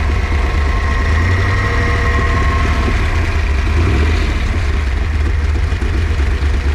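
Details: Freshly built Ford 408 stroker small block Windsor, warm, on break-in oil and an electric water pump: deep, steady V8 idle rumble, no knocks, misses or ticks; running smoothly.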